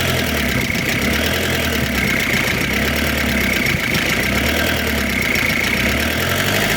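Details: Diesel engine bought as a replacement for a car: a loud, harsh idle with coarse rattling clatter over a steady low rumble. The engine sounds rough, with the cause not pinned down, and is judged unfit and to be returned to the seller.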